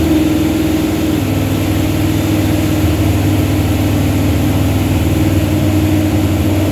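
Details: Truck with a 360 Mopar LA V8 and a Holley double-pumper carb, idle turned up, vacuum gauge attached: steady but uneven drone held at fast idle; won't idle below about 1,500 rpm. Vacuum leak or carb suspected, unconfirmed.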